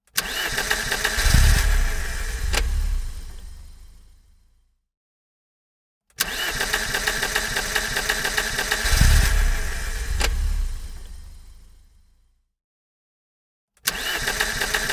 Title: Car Issues - Engine Cranks But Won't Start